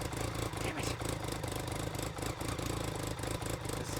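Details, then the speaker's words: BMW K75 RT test run right after fuel injector replacement: rough, uneven running with the firing beat sagging, no clean note, unchanged from before. Misfire from dirty air filter. "yeah it's doing exactly what it was doing before I don't think it's the fuel injectors"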